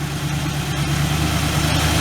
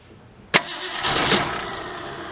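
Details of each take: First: 1967 Ford Galaxie 500, 289 V8 with two-barrel carb, first start after 25 years: steady, even low rumble with smooth unbroken beat, no knocks or misses; healthy idle. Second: 1967 Ford Galaxie 500 with a 289 two-barrel, on its first start attempt after 25 years. A sharp start, then steady cranking that never catches; suspected fuel starvation.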